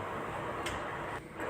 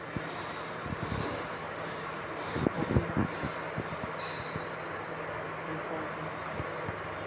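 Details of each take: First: Honda City petrol engine idling steadily after repair, with a light even ticking and no knock; check engine light now off after scanning for code P2649 and replacing a part that had caused knocking and misfiring. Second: Honda City 1.5 i-VTEC petrol engine idling unevenly with irregular knocks and thumps, misfiring with check engine light on and code P2649; traced to a failed rocker arm oil control solenoid.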